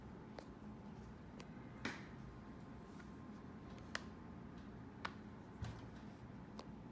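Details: 2016 MacBook Pro making sharp irregular pops, apparently during temperature changes.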